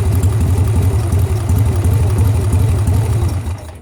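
Lumpy V-twin idle with a regular knock riding on it, about three per second, then the engine shuts off; could be a lifter. Cause suspected, not confirmed.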